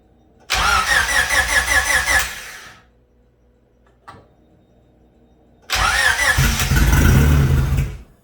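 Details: Freshly rebuilt Honda B16 engine, first start with no coolant, timing set fully retarded, air sensor disconnected: two short cranking bursts, then it catches and idles steadily briefly before being shut off; normal first start.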